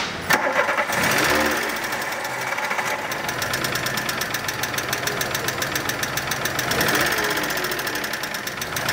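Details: Volkswagen Polo 1.6 first start before repair, owner reporting lifter noise and stalling when put in neutral: fast light ticking, about three or four a second, over a rough idle.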